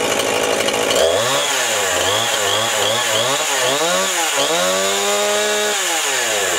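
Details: Chainsaw after fuel line replacement, no leaks: it catches and revs up and down cleanly, the pitch rising and falling smoothly with the throttle and settling into a steady high run.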